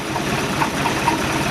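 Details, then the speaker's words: MerCruiser 3.7L marine petrol engine with points and condenser ignition, back at idle after running in forward. The idle is steady and even, a low rumble with no misses or knocks. A gimbal bearing is suspected to be going out. "Idle's pretty good."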